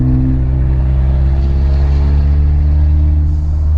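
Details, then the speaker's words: Ford Mustang EcoBoost with turbo kit and catback exhaust, resonator tips back on, windows closed: steady, deep, even rumble with no rasp, drone or leak puffing; the exhaust sounds normal, still somewhat loud. "So it sounds fine. I think I'm fine with it being this loud."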